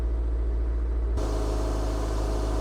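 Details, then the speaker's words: 2003 Toyota MR2 Spyder TRD, 5-speed, with a K&N filter, engine cover open: cold start with a slightly raised fast idle, a smooth, even low hum with no knocks or ticks, and it sounds great. Normal cold-start fast idle. "As you can see, it's a cold start, so the RPM is still a little bit higher, but it sounds great."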